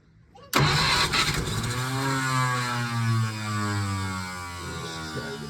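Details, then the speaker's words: 1951 Packard straight-8 that sat 30+ years, cranked on 12 V instead of its 6 V after a fix for a grounded points wire, with no accelerator pump: the rough engine catches with uneven firing as rpm wavers and falls. "catch a little bit. It catches. There is no accelerator pump, so that's a success."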